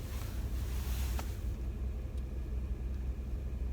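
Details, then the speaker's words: Ford F-150 EcoBoost, 65,000 miles, cold start at 1°F after sitting outside four hours, with the intercooler drained through a drilled weep hole that cured a shudder: steady low rumble, smooth idle, tachometer not bouncing, no stumble. "smooth there's no I'm gonna move that cam around here there's no shuttering no stuttering at all you can see the tachometer is really smooth not bouncing at all"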